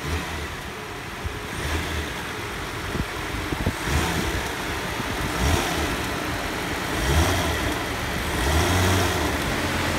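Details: 2002 Nissan Maxima GLE, in drive with brakes on, given a little gas: engine note swells with uneven heavy thumps and body boom as the broken front electric engine mount lets the engine bang.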